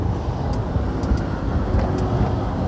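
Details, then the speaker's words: LG WP1460R 14 kg washing machine after cleaning ant-blocked dirt from the timer's copper switch contacts, fixing intermittent wash agitation: steady low motor hum with the drum swishing left and right evenly, no grinding or stalling; normal wash motor agitation. "Mari kita tunggu dan lihat apakah rotasi kiri dan kanan normal. Oke , ternyata itu normal."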